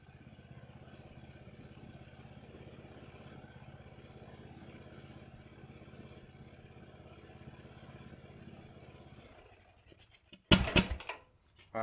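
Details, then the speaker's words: Ariens mower with Nikki carburetor, after carburetor cleaning and rebuild (problems with cheap Amazon rebuild parts): small single-cylinder chugging evenly at steady speed without noticeable surging, then shut off; runs smooth, responds to throttle. "yeah that's just miles difference from where it was it runs smooth it responds to throttle changes very little surging if any at all yeah I'm happy with that"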